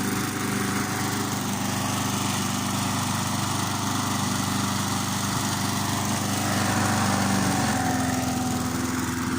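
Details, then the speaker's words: Briggs & Stratton 3.75hp Sprinter mower, restored, warmed up about 10 minutes to drive out dampness: steady, even drone at constant speed with no misses or surging; running better and smoothly. "So I've been leaving this to run, warm up for about 10 minutes. And as you can hear, the engine's running a bit better."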